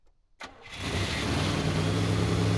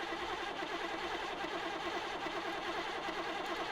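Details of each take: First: 1985 IROC Camaro rebuilt 305 V8, first start after rebuild and new distributor: short crank, instant catch, smooth even deep idle that settles immediately; no backfiring, brief smoke from oil on a header; healthy start before 20-minute break-in. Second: 1985 IROC Camaro with a freshly rebuilt 305 engine, first start attempt: the starter churns at about three beats a second and the engine never catches. A pulled plug showed no spark, and the distributor was found faulty.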